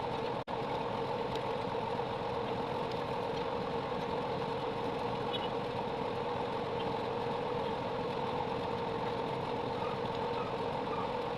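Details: 3.0KVA generator after a full engine rebuild with new piston and rings: steady even engine drone at a constant pitch with no knocking or misses; the problem is solved and it runs normally.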